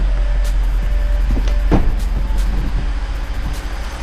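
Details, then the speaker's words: Audi S6 bought from Copart, first start after new turbo install, run with no coolant, heard from outside the car: a deep, steady low idle rumble with even firing and no knocks or misses, idling smoothly. "Wow absolutely purring that is amazing"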